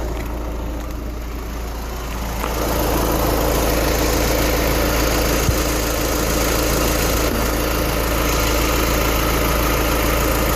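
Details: VW car with 29,000 miles, rolling or braking to a stop in neutral: loud droning rumble from underneath with a regular pulse of three to four beats a second; owner suspects throwout bearing, dealer could not duplicate it.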